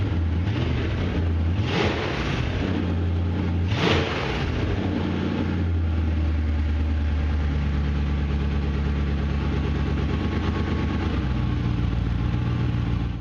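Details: BMW E30 with swapped M60 V8, running after first fire with new exhaust: deep even burble with two quick throttle blips, then a steady settled idle; runs smooth and healthy.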